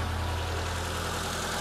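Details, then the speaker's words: Engine at operating temperature idling steadily but fast at 1300 rpm; the idle screw is set too high and is being turned clockwise to bring idle down to 800 rpm. "di sini suhu mesin sudah cukup timal dan rpm nya ada di 1300 sekarang mau saya turunkan ke 800 rpm ya"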